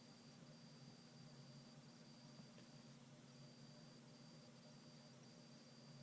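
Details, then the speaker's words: Surface Pro 4 (i5, 8 GB, 256 GB Samsung NVMe SSD) on battery, phone mic at top of device: thin steady high-pitched coil whine with dropouts over faint hum, changing in volume with video page versus other tab and screen touch. "when I switched to that coil wide decreases in volume so I'm gonna put the phone up to the top of the computer so you can hear it"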